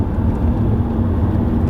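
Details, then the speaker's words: 2007 Ford Mondeo Mk4 1.8 TDCi, about 280,000 km, on cobblestones at about 50 km/h: low, even road rumble, no clunks, knocks or interior squeaks; car feels solid, suspension healthy. "Suntem pe piatră cubică, după cum auziți, nici un bocăne, nici măcar greierași înăuntru nu se aud. Avem deja 50. După cum vedeți, mașina e țeapănă din toate punctele de vedere."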